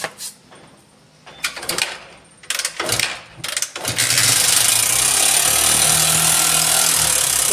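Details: Honda CB Shine 125cc at start-up: rough uneven bursts while cranking, then a loud steady clattery roar. Abnormal engine noise; possible causes are no engine oil, a loose worn tensioner or another internal fault, not confirmed.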